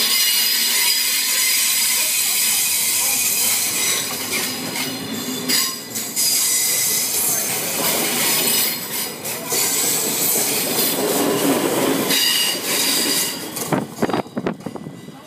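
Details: DDZ Sprinter train departing Soestdijk station towards Baarn: loud, sustained high-pitched wheel squeal as it pulls slowly through the route's many sharp curves, speed limit 60 km/h.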